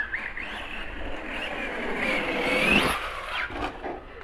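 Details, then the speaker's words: Arrma Kraton 4S RC truck. The motor whine builds briefly under throttle, then suddenly fades and dies mid-pull. Owner had suspected the receiver; later confirmed as a bad ESC cutting power. "now it just died trying to go this is weird"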